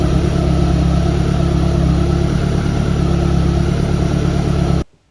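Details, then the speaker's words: Evo1 16v engine idling, timing belt overtightened, giving a steady low hum with a faint whirr: belt whine; belt would not turn 70° between cam wheels, so it is to be slackened and retightened. "thank you for your comments about the cam belt being too tight now the belt was a bit noisy so let's have a quick listen"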